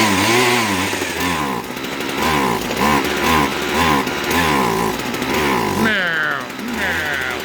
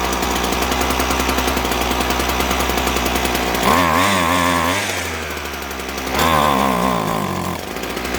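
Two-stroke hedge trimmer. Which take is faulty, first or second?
first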